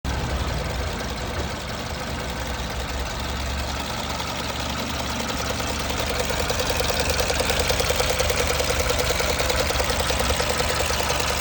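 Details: 2006 Mercedes B200 (W245) petrol at 60K miles idling: even ticking knock about three times a second that grows slightly louder from the engine area; no fault codes stored, cause not found.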